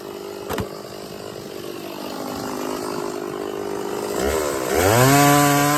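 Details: Stihl 024 chainsaw after carb tuning and a makeshift aftermarket air filter, cutting firewood: note climbs cleanly to a high steady scream without stumbling or missing; running well at high revs.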